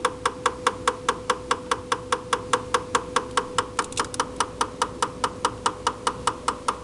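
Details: Recently purchased GE refrigerator: sharp, even knocks about two per second over a faint hum from the upper-back left side of the freezer, lasting up to 2 minutes 2-4 times daily; technician calls it normal for this model, owner disagrees.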